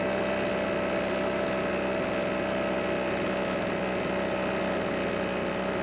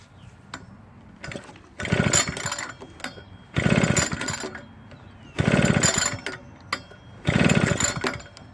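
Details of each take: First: Husqvarna backpack blower, stored for years, after the water-contaminated stale gas was replaced with fresh fuel: a constant high whirring run with steady pitch and no surging or sputtering, running properly. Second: Husqvarna backpack blower stored for years with old gas in the tank, repeatedly pull-started after priming showed fuel moving through the lines: bursts every two seconds with no catch; no start, traced to water in the stale fuel.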